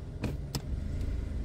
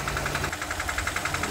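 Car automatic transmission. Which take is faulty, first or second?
second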